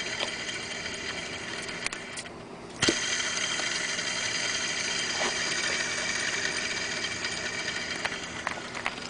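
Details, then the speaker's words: BMW 330i E46 mechanical serpentine belt tensioner pulley on the water pump, alternator and power steering side, spun by hand with the belt off: a dry, gritty rattling rush that fades as it slows. The bearing is likely worn and dry; replacement planned. "this is what it sounds like and you can tell that the bearings is uh more than likely really dry"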